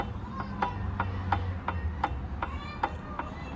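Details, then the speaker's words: 2004 GMC Envoy inline-six on jack, front wheel raised and rocked by hand: squeaking plus sharp clunks at the inner tripod CV axle joint; looseness felt, unsure whether CV axle or differential side bearing, left side. "I can hear squeaking, but clunking is right here, right on the tripod onboard CV axle."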